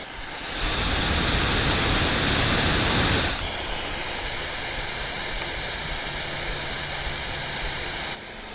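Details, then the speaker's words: Steam Deck with Delta fan under the same game load after the update's less extreme fan curve: soft, even airy rush with no high-pitched whine or rattle; fan running quiet and normal. "So, this is the same race. No loud pitched whine. The fan is quieter because the fan curve is less extreme."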